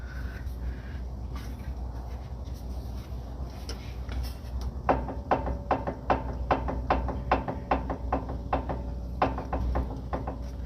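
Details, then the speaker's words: Nissan 370Z with a raised rear axle rocked up and down by hand: small metallic clunks, about two a second, from free play near the differential or hub. Metal contact is suspected; the owner plans to tighten the center bolt. "so there's the noise right there it did sound like it was metal that was making the sound"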